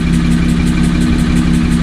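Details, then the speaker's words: Idle with a light regular tick about five per second over low rumble after a track day; unchanged after replacing one cam position sensor, owner plans to replace the other; cause unknown, abnormal engine noise. "all right as you can hear it hasn't changed it's still there at this point i don't i don't know um i have no idea what else it could be um"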